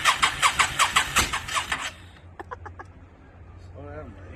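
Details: 2002 Yamaha V-Star 650, newly bought, possibly needing a full tune-up, on choke, rusty gas tank; steady starter cranking, about 2.5 beats per second for two seconds, never catching. Hard starting, owner suspects flooding.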